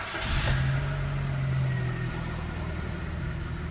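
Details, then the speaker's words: Kia Ceed with code P0172, hard starting cold and hot after timing chain, sensor and valve work, fuel pump replaced: uneven lumpy idle, misfiring, jerking, won't rev on throttle, stalls; feels fuel-starved. "Троїть, чую, троїть. Дьоргається. Заглохла. Газую. Погано розгазовується."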